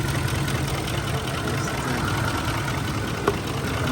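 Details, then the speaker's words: Ford F-150 with a 5.4L V8, on the road after repair of a cylinder 8 misfire (shaking, power loss, raw fuel smell) by replacing ignition coil 8. Smooth, even V8 idle with no stumble or skipped beats. "Así quedó la Ford ya en la carretera se siente muy muy muy muy suavecito todo parejito sin ningún problema"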